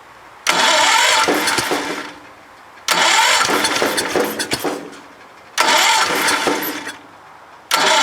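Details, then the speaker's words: Broken Kohler K341 single-cylinder cranked slowly on a low booster pack, with only about 55–60 psi registering: three cranking bursts that catch, stumble and die; hard starting, with the carburettor flooding. "okay so obviously I still have to go over some stuff with this engine carburetor is floodi"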